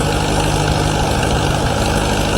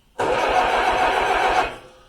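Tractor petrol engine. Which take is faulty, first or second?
second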